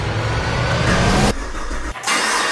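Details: Old Camaro's 1000+ hp V8 in the new Camaro, first fire-up after the swap with a new PCV vacuum line: catches at once, runs loud and steady, oil pressure 45, then shut off; normal start.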